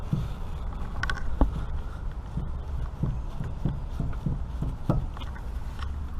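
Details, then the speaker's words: 1996-2000 Honda Civic EK, wheel off, boot slid back: dull knocks about every half second as the inner tie rod is rocked; joint badly worn, moving side to side, to be replaced. "That thing's full-blown moving side to side. And that's really the only problem I have on my suspension right now, surprisingly."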